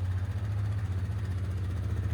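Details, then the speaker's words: 2010 Polaris Sportsman 550 XP ATV, 469 hours, 3,000 miles, idling after stripped oil drain plug repair: low, even single-cylinder thump, no ticking or knocking; engine sounds really good. "Engine sounds really good on this thing. Got the power steering."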